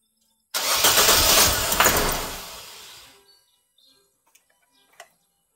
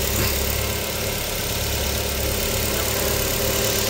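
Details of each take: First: Nissan Almera hard starting: two long cranking bursts, first fades without catching, second barely stumbles to life; spark plugs to be replaced first, which needs the intake manifold removed. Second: Nissan Almera with a hard-start problem, after spark plug replacement under the intake manifold. Starts on one click and settles to a steady, even, smooth idle. Normal idle; the fault was the spark plugs.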